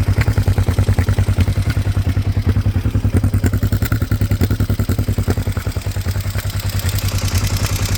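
Twin runs with a heavy, even low thump around three and a half beats a second and a faint clatter over it, cause unclear.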